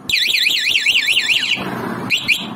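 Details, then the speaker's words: Motorcycle remote anti-theft alarm just installed, battery connected and tested: loud wailing siren sweeps up and down in pitch, pauses, then repeats; alarm working properly. "Oke. Dia udah berfungsi dengan baik, udah mantap."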